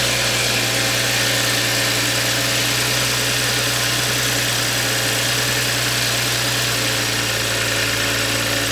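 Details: Toyota A90 Supra after installing a new turbo, replacing an old one whose turbine wheel had play and ground when spun: steady, even idle with a strong airy rush and no grinding, whistle or misfire; turbocharged engine sounds healthy.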